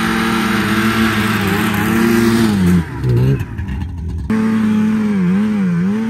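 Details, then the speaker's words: 1987 Arctic Cat Cougar 500 snowmobile (Suzuki two-stroke), long sitting, run from an auxiliary tank: steady drone sags and drops out about a second, then catches and wavers; cutting out, owner doubts carbs and suspects a firing problem. "it almost seems like it's cutting out it could be in the carbs still but I don't think so"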